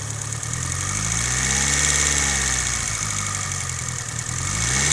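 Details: Mitsubishi Evo 8 warm idle with a light, fast, fairly even tick consistent with a noisy lifter; cause suspected, not confirmed.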